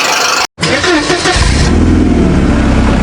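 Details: 2019 IVM Forthing G5T Turbo, parked over a year with a no-start, communication faults and a dead key fob battery, after full scan-tool diagnostics: it cranks briefly, catches cleanly and settles into an even, steady idle with no misses or knocks; normal.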